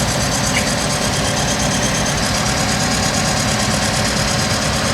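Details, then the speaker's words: 1970s crane truck, over 50 years old, sitting over a year, first run with Corvette muffler: steady even V8 idle, low rumble, hydraulic pump audible, no misses or knocks; slight oil smoke, suspected dry-rotted valve stem seals. "My goodness, she runs good. Listen to her. I can hear the hydraulic pump."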